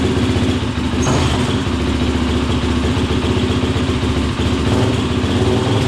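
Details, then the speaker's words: 2003 YZ450F engine in an off-road Simplicity lawn tractor, after carb rejetting: loud, steady single-cylinder thump at fast idle, even firing, no misses or surging, running without choke; much better. "Wow a lot better yeah it was uh who was even running without the choke on that time I forgot to turn it on so it started without the choke man that's awesome a lot better"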